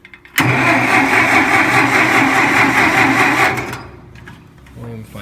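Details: Massey Ferguson 65 tractor with points and condenser cleaned and sprayed with cleaner: starter spins the engine evenly for about three seconds, turning freely but never catching. No spark; points and condenser may need replacing.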